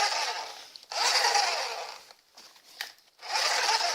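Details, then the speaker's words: RC car drivetrain spun by hand after a cardan shaft update with a sleeved joint: hissy high whirring that comes and goes, a light rasp from the motor pinion mesh; it turns true without rubbing. "On entend du bruit mais c'est le pignon moteur. Bon bah ça a l'air de tourner rond. Ça frotte pas."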